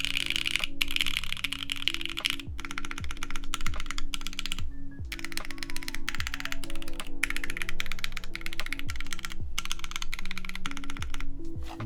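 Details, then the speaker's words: Vertex Arc60 plateless keyboard with JWK Magic Girl switches lubed with Krytox 205g0, 56g springs, TX films, GMK keycaps; crisp even clicky typing bursts over music with no case ping; normal switch sound. "it's really not that bad [Music] I think the sound of the typing itself will probably mask anything like that so it seems pretty good"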